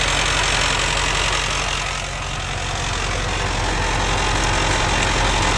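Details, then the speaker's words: 1990 Ford F250 7.3 IDI non-turbo diesel, recorded inside cab, door closed, clutch pushed then released in neutral: steady idle under loud constant metallic chatter, three or four rattles a second; gear rollover rattle. "this is inside door closed this is the sound as the clutch pushed in the sound of the clutch released in the neutral it's much louder in person"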